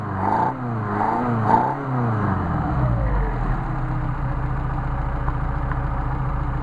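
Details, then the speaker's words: Mercedes 190SL with rebuilt, adjusted Solex carbs, warm: from a smooth idle of about 800 rpm (1,000 indicated), three crisp blips dropping cleanly back to idle; nice, healthy throttle response before a hot start. "up nice response back to a th000 now we're going to turn it off for a second and we're going to do a hot start"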